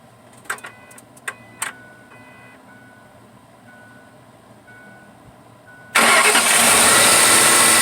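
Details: 2006 Ford F150 4.6L V8 with a new throttle body, replaced for a no-acceleration fault where it only idled: a few key-on clicks and chimes, then it fires right up into a strong, steady run. It starts and idles normally.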